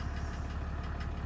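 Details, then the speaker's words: 1987 Mercedes W124 turbo diesel, 150k miles, just after start once smoke clears: rough idle with hard, evenly spaced rap on every firing pulse; other owners suspect the first fuel injector knocking, not confirmed; owner thinks slightly quieter than when bought. "can hear the hard knock i've i've discussed this with a couple of other mercedes owners and they seem to think it's the first fuel injector kind of knocking really hard"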